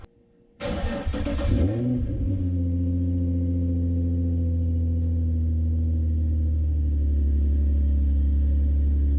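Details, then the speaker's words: Nissan 350Z fitted with a 370Z exhaust: cranks, then a deep, much quieter idle with a low puffing rumble from a heavy leak at the loosely fitting mid-pipe joints. "Wow that is substantially quieter holy crap that is a lot quieter then I thought it was gonna be"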